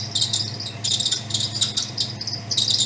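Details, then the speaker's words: 1962 Ford Thunderbird, 390 V8 with three-speed automatic, brand-new alternator, revved while checking charging. Sharp, high chirping bursts over the engine hum: belt squeak from a loose belt that needs tightening. "All right, so we've got some gnarly belt squeak."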